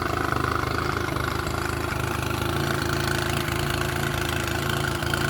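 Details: Mercury 9.9 outboard after about 8-9 weeks of repair with imported parts: steady, even putter at idle with regular firing beat, no knocks or rattles; running smoothly.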